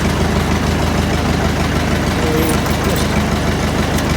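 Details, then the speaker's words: Massey Ferguson 165 diesel tractor after engine rebuild: starts nicely, even chug about three beats a second with no knocks or misses; running healthy. "so yeah everything runs sweet on it it starts up nicely"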